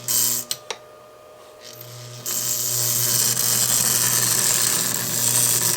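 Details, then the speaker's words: Model railroad ALCO locomotive after cleaning and lubrication, running on the test track without its shell: after a couple of clicks, a steady, high, even whirring motor hum; runs fine but needs running-in, and the E-unit is loud. "like it just needs some throttle time get all that lubrication going in there"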